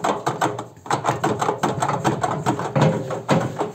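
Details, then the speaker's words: Arçelik washing machine: loose knocks and rattles each time the drum is rocked by hand, with no damping; drum shock absorbers are worn out and move freely. "bu amortisörler böyle langır langır olmaz arkadaşlar yani bu bittiği zaman amortisörün işi bittiği zaman böyle olur"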